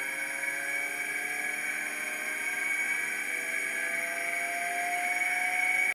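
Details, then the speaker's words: Atlas launcher gyro rotor on a spin test, driven at 115 V AC between terminals A and B with an added 270 nF capacitor: steady high whine with several fixed tones and slight upward drift, very noisy at full speed. "Okay, so you can hear the gyro spinning, but it is very noisy at full speed."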